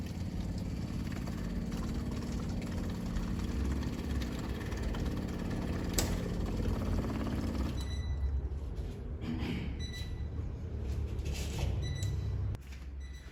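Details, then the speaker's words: Newly installed electric fuel pump for a carbureted Fiat 147 engine, primed, ignition on, filling a bottle with fuel: steady low even hum, no rattle or strain. Pump working properly. "Ahora voy a colocar acá esta botellita, vamos a poner en contacto y vamos a ver si la bomba empieza a llenar con combustible esta botellita."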